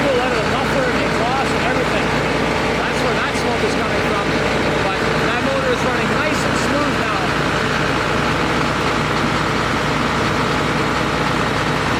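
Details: John Deere 9600 combine diesel after replacing a worn-out injector (blue smoke, fuel-diluted overfull oil, 37E fuel temperature sensor code, now cleared), warming up: steady, even drone, no misses or knocks, running completely different. Normal idle.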